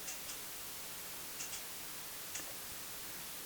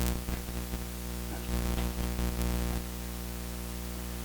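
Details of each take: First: Audio ground-loop demo: after inserting a Cinemag isolation transformer in the line, only faint even hiss with light clicks remains, no hum; the line is quiet. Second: Steady low mains hum with buzzy edge in an interconnected audio setup: AC ground loop; audio ground lift worsened it, ground wire to console only partly quieted it.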